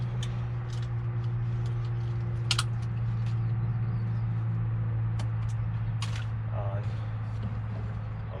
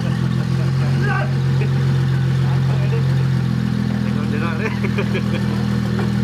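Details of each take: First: N54-swapped 2001 BMW 325it E46 wagon, first test start after finishing cooling system and engine wiring: starter spins steadily about four turns a second for several seconds but never catches, fuel pump not yet connected; crank no start. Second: N54 twin-turbo swapped 2001 BMW 325iT E46 wagon, first start after cooling, wiring, fuel and vacuum lines were finished: engine catches and holds a steady, even idle with a smooth low drone, voices cheering over it; runs normally.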